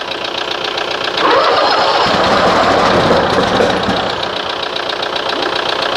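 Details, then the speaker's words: Toro Timecutter SS 4225 mower engine on a 40°F day, plugs dried after flooding; repeated cranking with rough, uneven catch and backfire, never settling to clean idle; flooded carburetor, float possibly sticking. "is it running that backfire carburetor is flooded how's it good"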